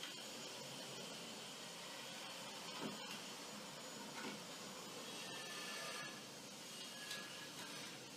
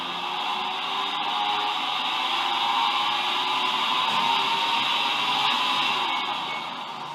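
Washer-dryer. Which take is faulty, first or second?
second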